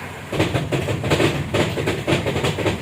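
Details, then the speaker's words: 2013 Mitsubishi Strada Triton GLX, 4M40 2.8 L diesel, in 4H, first gear, driving straight with light braking: steady rhythmic knocking from underneath about four a second, from a worn transfer case chain or upper sprocket. "Jadi, ketika rem ditekan dalam posisi lurus, akan terdengar suara ketukan;"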